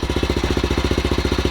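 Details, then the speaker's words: Honda Grom MSX125 on its first start after a new lithium battery install, with the fuel pump heard priming: quiet, even single-cylinder putter at about fifteen beats a second, no knocks or rattles; normal idle. "it's so quiet i was expecting like a lot of a lot of noise oh yeah these things can get real loud nice it is alive guys"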